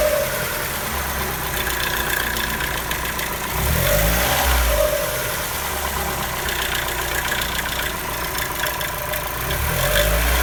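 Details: Mazda Miata NB petrol engine at idle with a low surge and a wavering note returning every five or six seconds; owner asks what causes this abnormal idle sound.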